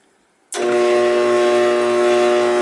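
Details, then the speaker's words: Trane XL14i condensing unit tripping on pressure: kicks on with loud steady hum and harsh rattling racket; condenser fan not running, capacitor tested good, bad condenser fan motor needs replacing. "so got a bad fan there not good she's going off on high pressure or low pressure whatever she tripping out but we had a problem with that fan capacity is good Capac is good and a bad fan"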